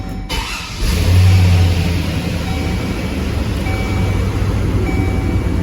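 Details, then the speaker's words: 2005 Chevy Silverado with intermittent AC cutout, after resoldering wires to the high-pressure switch and an overnight battery-disconnect computer reset: engine idles steadily after a brief rise, faint tone as compressor kicks on; AC compressor engaging normally. "heard the compressor kick on let's go look at it yep the compressor's running we have AC"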